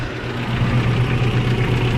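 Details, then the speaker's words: Toyota pickup 22RE after replacing the header-to-downpipe and exhaust manifold gaskets and studs: steady even idle with no exhaust leak puffing; a light lifter/valve tick remains, valves to be readjusted. "So there's no more leaks. You can still hear the ticking from the lifters, which we are going to readjust."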